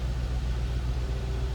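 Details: 2002 Ford Thunderbird convertible, stored indoors and summer driven only, apparently all stock, heard idling from the rear; low, steady exhaust rumble with no ticks, misses or pulsing, normal healthy idle.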